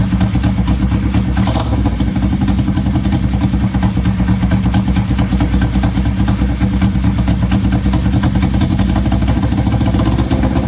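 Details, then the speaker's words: 1970 Honda CL350 twin that sat 42 years, first start with choke on and fuel fed to carbs through temporary lines: fast, uneven idle hangs high after revving; owner suspects vacuum leak or sticking throttle cable. "either we have a vacuum leak or the throttle cable sticking when you go to Revit kind of hangs the idle kind of hangs"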